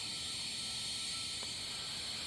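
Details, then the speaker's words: Philco Predicta Tandem 4710 tube TV, dim picture, before repair: steady, sharp frying hiss of high voltage arcing inside the picture tube connector; suspected leakage overloading it and causing low high voltage, unconfirmed. "also that looks like arcing noise in the picture and you can hear it arcing inside this connector"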